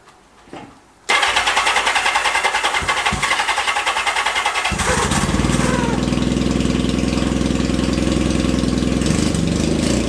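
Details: 1978 Kawasaki KZ650 C four-cylinder, first start after at least 5 years unrun, on a temporary fuel supply with vacuum pipe blocked: catches and settles into a loud, fairly even cold idle with raspy exhaust while warming; runs fine, just a very noisy exhaust.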